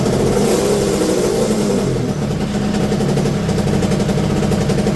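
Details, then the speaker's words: Yamaha TZR250 two-stroke, mapped unmapped on ordinary petrol (after methanol/E85): crisp crackle rising and falling cleanly with throttle, no bogging or hesitation; now behaving well, normal revving. "And it seems like it starts to behave quite good."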